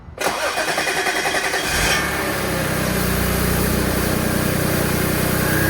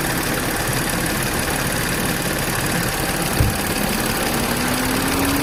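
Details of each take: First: B8 Audi S4 next-morning cold start after upgraded IE high-pressure fuel pump: starter churns about seven pulses a second for nearly two seconds before catching into steady idle; long crank not fixed, owner suspects fuel system not priming (never hears pump prime). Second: B8 Audi S4 after upgraded IE high-pressure fuel pump install: steady even idle with smooth hum, no knocks, misses or whine; running cleanly.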